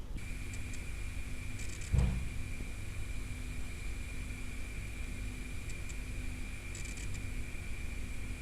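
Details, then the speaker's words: Seagate Cheetah 450GB 15k drive tested standalone in disk benchmark with 4 GB file, reaching 160 MB/s; constant high spindle whine over low hum near 250 Hz with faint seek rustle, rather noisy. Normal running under load. "So as you can see, it got actually rather noisy."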